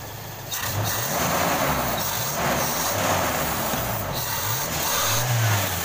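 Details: Toyota Kijang Krista 5K/7K carbureted engine after cleaning carburetor and replacing dead number-one spark plug, previously stumbling and lacking power: revs rise and fall smoothly with throttle blips, even beat, no stumble or misfire; normal idle.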